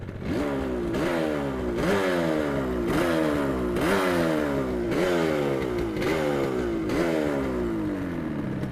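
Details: 1980 Yamaha RD350LC two-stroke, 12,353 miles from new, restored with genuine parts and standard exhausts, recorded outside: crisp blips about every 0.7 seconds, pitch rising sharply then falling back to a clean idle; healthy, free revving.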